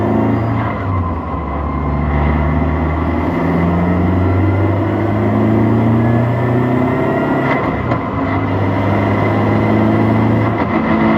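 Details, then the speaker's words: 2004-2006 BMW 116i E87 N45 race car build, no sound deadening, recorded at different points on deceleration; low moan shifting with road speed; diff whines a bit, but most noise suspected from clutch or gearbox, unconfirmed. "so the diff does whine a bit but that's not where the majority of the noise is coming from it's coming from the either the clutch or the gearbox"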